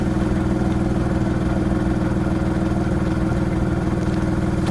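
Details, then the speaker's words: VW Polo 1.2 manual at idle: loud, raspy chuffing pulses about three times a second, with exhaust dumping out from underneath the car. A huge exhaust leak that still needs fixing. "Main one being a huge exhaust leak. So if I prop you guys there while I start the car, you can hear the exhaust is pretty much dumping from down there."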